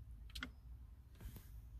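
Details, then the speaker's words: 2013 Nissan Altima 2.5 with keyless push start that won't start: with the brake pressed and the solenoid powered by a tester, two crisp clicks about a second apart over a low hum as the shift lock releases the lever. Normal shift lock solenoid operation. "y ahí se está activando el celuloide que nos está dejando bloquear la palanca amigos"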